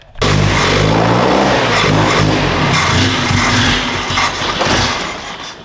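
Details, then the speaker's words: 1978 Datsun 620 truck, a bit out of time, with a fuel line leaking onto the exhaust manifold: loud, uneven, lumpy stumbling run under light revving; getting closer, timing still being adjusted; rough running, cause not confirmed. "Getting closer. I will play with the timing a little bit and we'll go for a test run."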